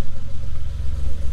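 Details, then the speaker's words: Suzuki Every DA52V turbo kei van after new sensor fitted for overheating issue: smooth, even low thrum with a steady pulse and no misses or ticks; idling cleanly, previous problem gone. "I mean, it idles beautifully."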